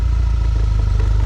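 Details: 2012 Audi A4 B8.5 S tronic (DSG), just over 120k miles: fast heavy rattle when reversing under load, persisting after a dual-mass flywheel replacement. Diagnosed as a badly burnt dual clutch caused by a faulty mechatronic unit.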